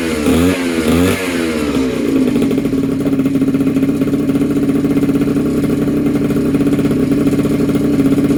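Small two-stroke crackles through a few blips, then settles into a steady buzzing idle with an even beat; runs cleanly.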